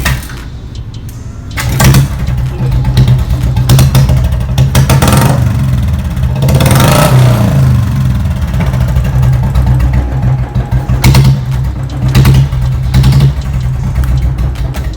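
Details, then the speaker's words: Royal Enfield Bullet standard model, kick start, stock silencer without bend pipe, standing still at home; catches into a deep, loud single-cylinder thump, revs rise and fall cleanly and settle back, normal idle and revving. "सो आवाज़ इसकी भी loud आती है। ये तो सिर्फ घर पे खड़ी हुई है, सो उसकी आवाज़ अलग है।"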